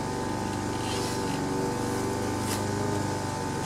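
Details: Craftsman Eager 1 four-stroke edger run at half throttle: a steady low beat that never picks up speed. It stays at low rpm with no throttle control and bogs down when edging.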